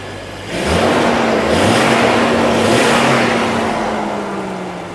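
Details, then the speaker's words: Jeep XJ after a tune-up following fuel pressure, compression and smoke tests; engine picks up cleanly, holds revs and settles back smoothly with no stumble or miss, earlier miss and sputter gone, sounds a lot better. "cow oh gal just needed a tune up all right let's go for a test drive see how it feels it already sounds a lot better"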